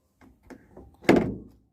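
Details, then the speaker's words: Car interior roof grab handle: a few light clicks, then one sharp hollow thunk as the released handle snaps back and hits the roof, causing a rattle; properly working handles return slowly and silently. "ये handle the होती हैं पकड़ने के लिए। तो इसके अंदर मतलब कि आजकल गाड़ियों के अंदर आ रही हैं, जैसे कि हमने ये किया, ये एकदम जा रहा है इसके ऊपर मतलब ये आवाज़ कर रहा है छत के साथ लग के, ये देखो।"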